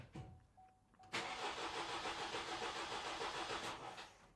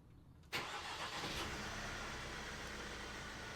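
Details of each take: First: 2018 Vauxhall/Opel Astra K 1.6 CDTi with intermittent starting and codes U18A2, P12A6: the starter spins the diesel about three seconds with even cranking beats but it never fires. The fuel pump doesn't run during the actuation test; a pump connector terminal was found corroded and open. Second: 2018 Vauxhall/Opel Astra K 1.6 CDTi diesel, engine code LWQ, with an intermittent no-start and fault codes U18A2 and P12A6; after sitting overnight it starts at once, fuel pressure reaching 50 bar, and settles into a steady, even idle.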